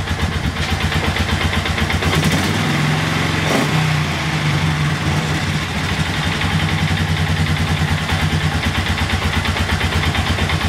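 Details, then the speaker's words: 2001 Polaris Sportsman 500 H.O. single-cylinder after a rebuild for a rodent nest in the head: steady, even, quiet low thumping at idle with no knocks, ticks or rattles; runs nicely, only needs a new throttle cable. "let's see how she runs that's pretty quiet actually you need a new throttle cable but uh other than that sounds nice"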